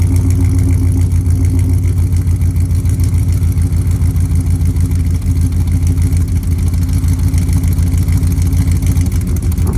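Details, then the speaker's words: 1999 Dodge Ram 1500 5.2L 318 V8, 5-speed, cold miss for years; started cold after new plugs, microphone by the exhaust. Deep idle with an uneven, loping pulse and occasional stumbles, missing on at least one cylinder. Plugs not the cause; owner suspects cylinders 2 and 4 wires swapped. "but those plugs are not the reason this thing was idling funky so we're still on the hunt I guess"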